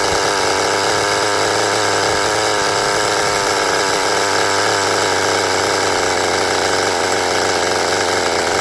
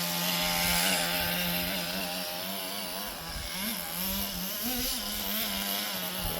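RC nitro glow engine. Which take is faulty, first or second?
first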